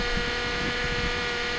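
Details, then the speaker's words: 2008 Honda Accord 4-cylinder, cold, idling high near 1500 rpm after long crank: steady mid-pitched whine over the engine from a power steering pump probably low on fluid, fluid foaming and sucking air through leaks. "That means it's sucking in a bunch of air right now with all those leaks. And that's that noise you're hearing right now. It's just, they get real whiny when they're low on fluid."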